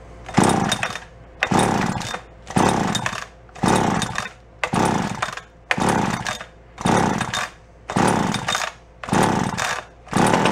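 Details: Echo CS-400 chainsaw, found in a free pile, with throttle locked and fuel primed into the intake: two-stroke fires in sharp bursts about once a second, revving and dropping each time, running only briefly on the primed fuel.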